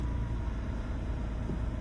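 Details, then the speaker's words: BMW that previously had no key symbol and wouldn't start, after replacing a $9 CAS (car access system) sensor: low, even idle rumble with no misses, knocks or stumbles; runs smoothly. "And it runs smooth. That's insane. It was literally literally just a sensor."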